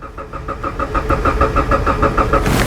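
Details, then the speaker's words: 2013 Subaru Impreza, towed in after another shop diagnosed the computer: steady starter cranking at about six even compression pulses a second, never catching; cranks but won't start. "okay so this car doesn't start so rather than last just putting in a computer let's verify a few things"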